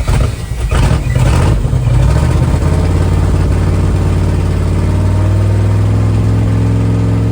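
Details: 1978 Dodge Adventurer Power Wagon, 318 V8, automatic, 4WD, first start in over a decade on a gravity-fed fuel tank with good oil pressure: strong, even rumble settling into a steady idle with no misses or knocks; running healthy.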